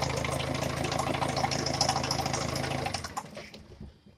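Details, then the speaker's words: Peugeot 307 1.6 HDi diesel just reassembled, at idle: sharp regular knock about three per second over the firing beat until shutdown; piston knock. "пока так значит хочу показать что поршень стучит не знаю надеюсь будет слышно"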